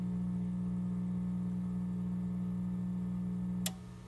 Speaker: makes it growling, buzzing noise which is normal at this point you can start powering up the systems from the bottom up so start with the telemetry unit.